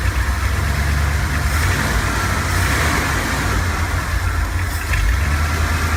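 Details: 1970 Ford F250 carbureted V8 after carburetor cleaning and priming: fast steady high idle that won't settle, also stalling when stopping; later traced to corroded distributor cap terminals.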